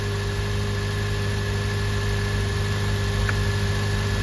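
Engine idles steadily with an even low hum and no skips or stumbles; sounds like a clean idle.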